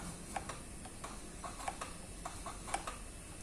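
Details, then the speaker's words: Honda CBR250RR throttle-by-wire after repair of a sticking throttle body: quiet irregular light ticks at key-on as the throttle actuator cycles through its self-test, which it would not make if not working; no error. "kita fungsinya sendiri bisa kita dengar apabila aja tidak berfungsi dia tidak akan bunyi seperti itu"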